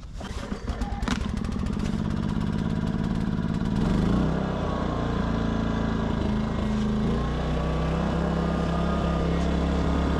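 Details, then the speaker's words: Westinghouse iGen 2500 generator idling with surging, its pitch rising and sagging every few seconds instead of holding steady. The brass idle jet behind the electronic throttle control is implicated. "um this thing doesn't like to idle it it does idle but it surges let you listen to it"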